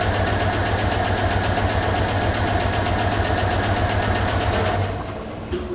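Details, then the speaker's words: 2007 GM displacement-on-demand V8 idling with steady light ticking about four per second: collapsed AFM lifter causing misfire, after dealer's plugs and wires failed to fix it. "So, that ticking is the lifter."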